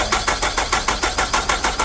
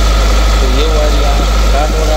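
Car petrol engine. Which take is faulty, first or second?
first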